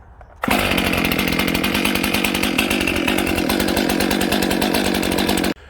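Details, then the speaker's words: Rebuilt Stihl MS 261C chainsaw (cheap Amazon rebuild kit), idling to break in and warm up: crisp, fast two-stroke burble holding steady with no stumbling or surging; normal idle. "So that's a pretty good sign to start with. What I'm just going to do is let it idle for about 5 minutes and break in, heat up nice, and then I'm going to turn the camera back on and we'll see if this thing will actually cut anything."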